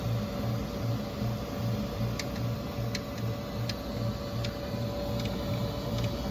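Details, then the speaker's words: Printer (K1), under a week old, running: crisp single clicks about every three-quarters of a second over a steady fan hum, heard on the left side, chain cable not hitting anything; clicking noise started that day, source unknown. "it's a clicking noise as you can see the chain cable's not Hing anything I don't know what that clicking noise is"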